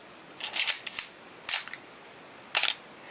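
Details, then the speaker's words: Canon AE-1 Program 35mm SLR (1981) with a 50mm f/1.4 lens, back open, shutter set to a longer speed on the self-timer. Sharp, crisp mechanical clicks about a second apart with no drag. The shutter fires normally. "so it's going to wait for the timer you see that work smoothly"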